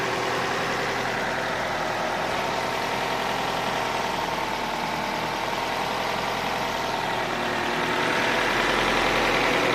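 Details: Opel Astra H at idle; light, fairly regular knock of about three to four a second, which the owner places at the rear near the ECU, not the gears, with no error codes; engine knock at idle.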